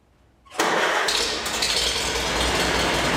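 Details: 1952 Farmall Super C tractor with 2-point fast hitch, started in a shop at about 75°F: catches within a moment and settles into a steady, even idle with no stumbling; a good-running engine.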